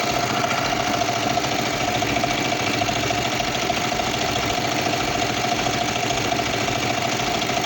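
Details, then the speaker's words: Kawasaki Vulcan 500 twin at working temperature, warm steady fairly even idle with no obvious knock, just before synchronizing the carburetors with a vacuum gauge. "Okay, so now we have the bike at working temperature and we're not going to start it. And we start to synchronize the carburetors."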